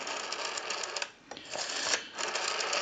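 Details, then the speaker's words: Western Electric 302 rotary desk telephone with the cover loose: dry, uneven ticking pulses with a gap partway through as the dial returns. The rotary dial return is sluggish and due to be oiled, cleaned and adjusted. "we also want to go through the rotary I'm going to show you that that's very sluggish we have the cover loose so it might move a little bit"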